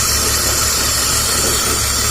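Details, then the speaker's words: 2003/2004 BMW 325xi at idle: steady loud hiss with low engine hum from the rear of the intake, suspected vacuum/induction leak (bellows or nipple near mass airflow sensor); lean-running misfire, codes 227/228 bank 1 and 2 control deviation. "the sounds like this thing is that our vacuum we can hear hissing noise in the back area of the intake"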